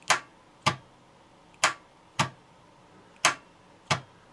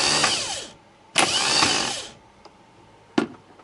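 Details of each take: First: Starter tested with a homemade button in place of the ignition feed: six sharp, unevenly spaced solenoid clicks with no motor spin and almost no voltage drop, so the starter is not seized; the cause may be the brush assembly or a broken winding. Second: Starter after cleaning its roughly eight-year-old brushes (brush plate rusty), bench-tested with positive connected: two short bursts of high whirring spin up freely and coast down smoothly with no grinding. Normal starter motor spin.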